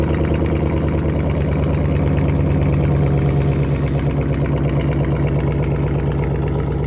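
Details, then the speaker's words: Startup after exhaust rattle fix (springs removed from exhaust valves, wired up): engine settles into deep steady rumble with no metallic buzz; exhaust note now clean and solid. "Sounds better on the startup, though."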